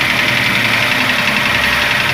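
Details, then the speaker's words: Ford Ka 3-cylinder engine at idle with an oil pressure gauge fitted: steady idle with a light fast ticking clatter on top; valvetrain clatter from low oil pressure, oil pump suspected. "A pressão tá baixa, tá vendo, ó? A pressão tá baixa desse motor. Então talvez possa ser a bomba, né, que tá com problema."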